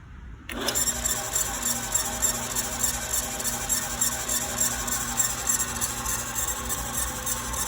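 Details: Harbor Freight 9x20 lathe running with a hissy whir and a rhythmic squeaky flutter about three times a second; the weird noise was the worn drive belt, normal after new belt fitted.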